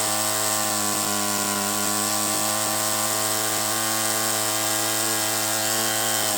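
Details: First startup of a Toyan FS-S100AC miniature four-stroke methanol kit engine: steady, high, even buzz with no surging or sputtering; smooth, healthy idle at roughly 1000 rpm.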